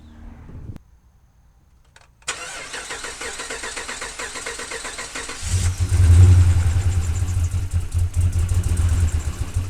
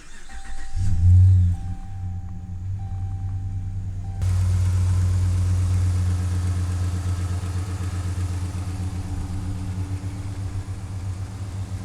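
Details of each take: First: 2010 Dodge Ram 1500 5.7 L V8 first start after cylinder head installation: catches with an uneven, stumbling, loping misfire; a pushrod was put into an oil gallery hole instead of its seat. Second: 2010 Dodge Ram 1500 5.7L V8 after a cylinder head job and several spark plug replacements: a brief crank, it catches and flares, then settles into a deep, even idle with no tick, knock or miss.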